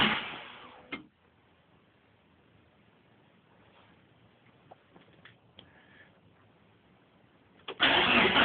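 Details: Mitsubishi Evolution with a newly replaced battery: short bursts of the starter spinning the engine, which never catches and goes quiet between tries. Cranks but won't start.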